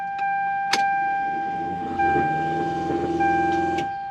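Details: Toyota Supra with newly finished fuel system and a voltage regulator controlling fuel pump flow: steady high electric whine for about three seconds after key-on, then cuts off; normal fuel pump priming.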